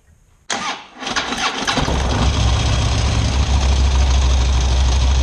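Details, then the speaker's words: Big V-twin Harley engine starting and settling into a lumpy idle with a light top-end ticking, recorded before fitting a cheap part meant to stop the tick. "all right so let's get a sound clip of the bike right now and see if we can hear the ticking of the engine hopefully this camera will pick it up"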